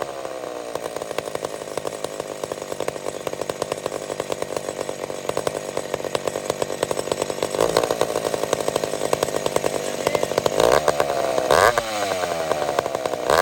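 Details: McCulloch Super Pro 70 chainsaw after repair, switch removed, started without choke on a hot day: steady high two-stroke buzz at even revs, brief blips near the end; owner suspects it may be a tad lean. Normal running.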